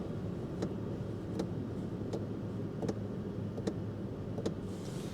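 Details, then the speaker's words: 2007 GMC Canyon, 119,000 miles, not started in a while, idling: faint sharp ticks about once a second from the dash. Suspected blend door trying to open and close, or the fan; engine sounds fine. "And then we have a, can you hear the beat? Is that the fan or is that a blend door that's just kind of trying to open and close?"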